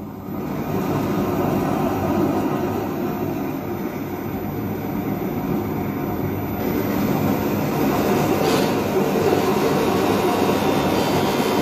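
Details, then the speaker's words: Hybrid electric ramjet prototype on 6S with paper motor-shaft spacer, fan at two throttle notches during continuous burn: steady roar with scraping edge as fan blades rub the duct wall. "what's happening is it's rubbing against the side of the the duct and you could probably hear that"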